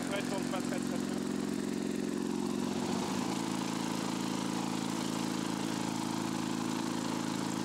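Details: Lawn-Boy two-stroke mower after patching rust holes in the exhaust and crankcase: loud, uneven drone with a wavering beat and no steady note; runs rough, owner finds the mixture hard to adjust.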